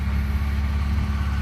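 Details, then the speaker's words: Finished BMW E36 drift build, M52 six-cylinder with M54B30 inlet cam, after crank sensor, idle control and air leak fixes: deep, even low rumble with a steady beat and no misses, knocks or hunting. Normal idle. "engine runs nice so that's it fully poly bushed basically everything on the car is new the brakes the brake lines everything"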